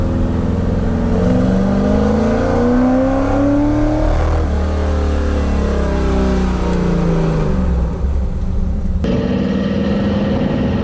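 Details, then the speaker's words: 1975 Ford F150 with budget-built FE 390, revved to the top near 4200 rpm: climbs cleanly, then the note turns ragged and flutters badly; engine losing control of the valvetrain, valve float, not a rev limiter. "It fluttered really bad. That's not a rev limiter. That's the engine just losing control of the valve train."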